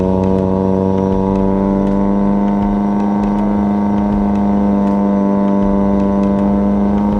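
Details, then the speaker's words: Toyota Corolla with 4AGE swap, warmed up, on a test drive; engine holds a high steady drone, revs flaring without pulling under load; clutch slipping hard when revved, replacement being considered. "Definitely you could hear it slipping then, so whatever I did, definitely got to switch it back and try to figure out where this thing likes to be happy at, because it's definitely slipping hard as soon as I rev it"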